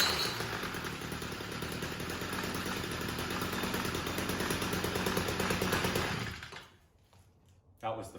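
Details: Stihl MM55 Yard Boss two-stroke that backfired and wouldn't start, after replacing the failed ignition coil: starts on the first pull and buzzes steadily and evenly at high revs for about six seconds, then cuts off; runs cleanly and strongly.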